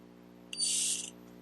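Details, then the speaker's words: Honda GCV190 carburetor from a Husqvarna AWD mower, float needle test by blowing into the fuel inlet: silent with the float down, then a short breathy hiss when the float is lifted; the needle valve seals correctly. "And then before I close it, blow on this side with the like this. You shouldn't hear anything. You lift it up and you should hear it."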